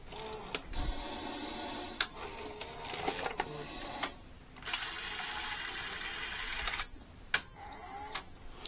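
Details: NEC SuperBeta HiFi VCR VC-N65EU after loading switch adjustment and cleaned cassette housing belt: motor whirs with clicks and a pause, then whir and sharp clicks as switch trips; loading completes normally.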